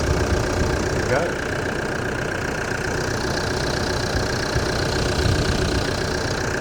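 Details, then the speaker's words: Diesel engine of a demountable truck-camper started following work to cure a squeak and an air filter change. Steady, smooth idle rumble with no belt squeak or chirp: normal idle. "Sounds good. No tweak."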